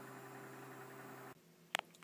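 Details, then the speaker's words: Optical drive burning a small CD in a file server: soft, even hum with steady tones for about a second, then it drops away and a couple of light clicks follow; normal drive spin. "I don't know if you can hear the hum of it, but that's just amusing to me."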